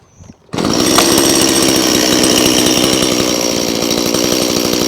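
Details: Stihl MS180C chainsaw with easy start, after no-start repair and chain refit, checking oiler: fires up and holds a steady, even high rev with a crisp buzz and no misfire or bogging; saw healthy and oiling well.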